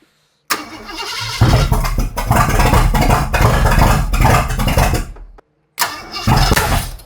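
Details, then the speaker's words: Ford 460 big-block V8 first fire-up after a camshaft install, with the throttle held up toward 2,000–2,500 rpm for break-in: long cranking catches with loud, sharp backfires through the intake, and the ignition timing is suspected one tooth out. "I love the smell of the backfire brokies is she good that was a lot of backfire I believe what happened is I'm one Toth out"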